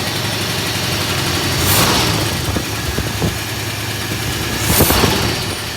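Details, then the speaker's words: 1971 Ford F250 V8 idling after being refuelled, with new battery cables fitted, fuel leak fixed and air cleaner refitted. Uneven rumble with faint irregular light knocks; it sounds a little knocky, cause not yet known. "put his air cleaner on Scott you come get it that sounds a little knocky but see what it is"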